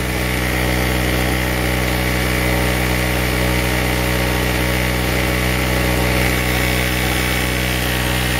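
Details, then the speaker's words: Chicago Electric (Harbor Freight) 800 W generator after a new spark plug, under about 700 W load (100 W bulb plus electric heater on low); steady high-pitched buzz with no surging or hunting; normal running under load. "I've got about 700 700 Watts on it seems to be running great to me"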